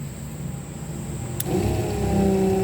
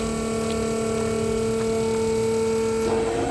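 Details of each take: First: RVGUARD macerator pump powered from cigarette lighter, pumping a Class C RV black tank through a hose: a click, then steady mid-tone motor hum; normal pumping, motor gets louder when water flow isn't consistent. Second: RVGUARD RV macerator pump, powered from the cigarette lighter, pumping the black tank about 50 ft through a garden hose: even motor whine turns louder and rattly once the tank empties, running dry, which risks burning up the motor.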